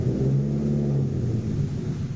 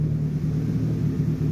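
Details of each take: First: 1989 or 1990 JDM Nissan Pulsar GTI-R, replaying run before fix: deep uneven rumble at low revs, lumpy, sagging near stalling without throttle; rough running from vacuum leak via disconnected pipe. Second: Idle of a 1989–1990 JDM Nissan Pulsar GTI-R (no OBD) after a vacuum leak was found and fixed; smooth, even low rumble with no stumbling, running about 5 minutes, earlier occasional smoke rings from the exhaust; healthy idle.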